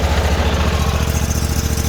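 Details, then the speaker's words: Sears Suburban snowblower with 20HP Briggs V-twin after fixing fouled spark plug, partly plugged fuel filter: starts immediately, steady even low thump at idle on both cylinders, no misses or knocks; normal idle. "took off immediately that sounds way better she's running on two that is so far just normal exhaust"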